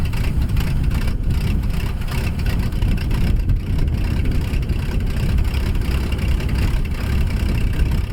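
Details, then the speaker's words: 1957 Dodge D500 1.5-ton ex-military truck that sat on a farm for years, firing for the first time. A low, rough rumble holds steadily as the engine runs on its own. "no way what it actually fired why i didn't have to do that oh hold on hold on that's amazing i you guys heard it run for the first time and don't feel like how many years let's see if it'll idle now"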